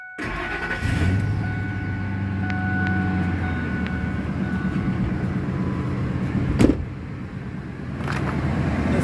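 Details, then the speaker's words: 2001 Ford F-250 5.4L just after replacing screeching idler pulley: cranks, catches and settles to steady even idle, no belt screech or squeal; normal start and idle. "so we're gonna let this run for a few minutes and see if that yelling Screech comes back"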